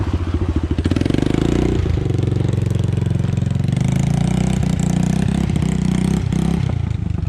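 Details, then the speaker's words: 1986 Yamaha Moto4 YFM200DX ATV after a fuel swap and mixture-screw adjustment: the single-cylinder idle is still burping and backfiring with stumbles. The carburetor is then removed for cleaning. "it's still burping pretty good it sounds like"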